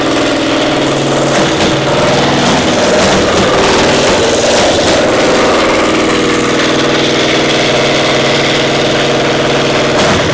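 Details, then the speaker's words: Caterpillar Diesel 70 twin pony motor, round 4 start: ragged, lopsided beat, one cylinder pulling, other hitting once in a while; acts like a spark plug; ignition misfire traced to magneto cap. "So what's the status? Running on one cylinder. We got one cylinder not Hitting working."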